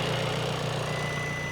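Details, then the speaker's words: 2017 VW Transporter T5 diesel after timing belt failure and a brand-new replacement engine, first start with fluids still priming: short steady idle with no knocks or misses, sounds sweeter. "That is sounds a lot sweeter and will start a lot quicker."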